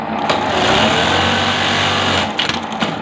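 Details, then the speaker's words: Buttonhole (kaaj) machine at full speed after cutter setting adjustment (cam gear, two setting screws) for sticking cutter: fast even needle and cutter chatter, no hard clack or hang-up; cutter runs freely, normal. "आप cutter की आवाज़ check कीजिएगा कि पहले जैसी है या कम हुई है, ठीक है। ये देखें, अब कटर भी बहुत आराम के साथ लग रहा है।"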